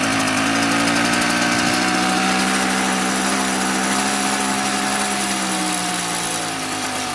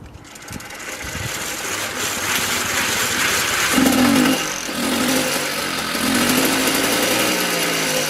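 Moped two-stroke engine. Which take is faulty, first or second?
first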